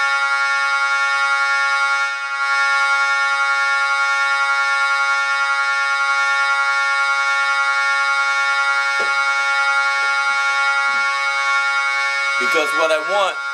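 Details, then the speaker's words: Jensen V21 Leslie upper horn driver fed by a Leslie 122 amplifier and dividing network, sounding a sustained note from a 1963 Hammond B3 organ: raspy buzz riding on the tone, before repair; rubbing diaphragm. "i hear the buzzing so i want to get rid of that buzzing"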